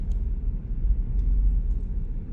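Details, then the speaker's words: 2013 Audi Q7 3.0T supercharged, misfiring when revved and mixing oil and coolant: deep, uneven rumble that lurches and shakes badly; codes for cylinder 3 and 6 misfires, random misfire, a small EVAP leak and O2 sensors. "the owner's complaint is that it has a misfire if I rev"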